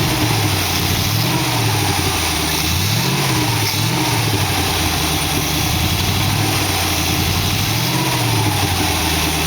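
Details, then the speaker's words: 1914 Dodge roadster, dual Holley carbs after kit rebuild and metering rod/spring changes; idle surges and sags, misses on light throttle, rear carb seems fuel-starved; uneven running from mismatched carburetors. "looks like it's more on one side you can hear it when i just give it a little bit of gas it misses and it hits a the next uh step up it takes off good"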